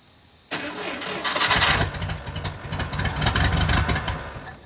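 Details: 1969 International Scout that sat a long time, started with gas poured down a doubtful carburetor, a hot wire to the coil and the starter jumped: it catches and sputters unevenly for a few seconds, then dies without fuel delivery.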